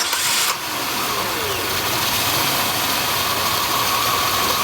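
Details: High-mileage Oldsmobile 3400 starts after the alternator, found loud by stethoscope, was addressed: catches quickly and settles into a steady even idle with no rattle or knocking.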